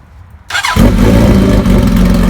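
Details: 1985 Kawasaki ZN1100 LTD, cold, KZ1000J carbs, no-baffle exhaust, new oil, filter, spark plugs: brief starter whirr, then loud, even, throaty run with no knocks or ticks; motor thought internally good, charging system not working.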